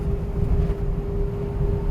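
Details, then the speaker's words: V8 truck after fixing P0306 cylinder 6 misfire (two replaced parts cured it), driving on windy day: deep, even rumble pulling steadily with no stumble or skip; takes off like new, now zero misfires detected. "Look at that. It takes off like a brand new van."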